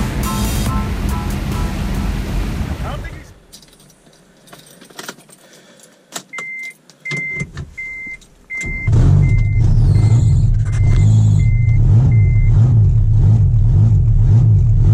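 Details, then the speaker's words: 1991 Mitsubishi Galant VR-4, custom turbo kit with Precision 5558 turbo, E85 tuned: the engine fires into a loud, raw, popping idle with hiss like an open header, from exhaust leaking through a broken custom turbo manifold. "well guys as you guys can tell the Galant does not sound good it sounds like a open header well it is I'll go show you guys the turbo manifold"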